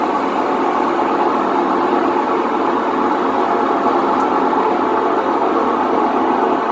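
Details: Whirlpool WTW4950XW3 top-load washer on drain and spin, with a coin found inside: loud, steady roaring rumble as the drum spins, typical of worn drum bearings; expected to start leaking water.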